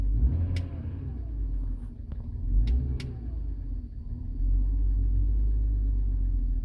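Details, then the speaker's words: BMW 325xi E90 with N52 engine idling low with an uneven, stumbling, hesitating beat; codes show cylinder 1 and cylinder 2 misfire; engine misfire. "i just want to check the engine why is misfiring i feel the misfire a little bit like hesitating"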